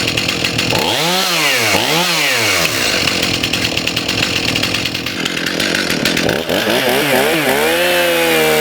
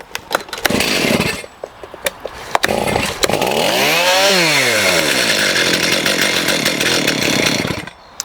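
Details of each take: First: STIHL MS291 chainsaw after carburetor adjustment, screws about 1.5 turns out, high speed trimmed in slightly: crisp rise and fall on throttle blips, clears to a steady high scream, idles on its own; normal, responsive running. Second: STIHL MS291 chainsaw with an adjustable carburetor, not M-Tronic, set lean at the factory with restrictors on the adjusting screws, recently run: pulled over, catches, revs once and settles to a thin, high, fragile idle, running lean.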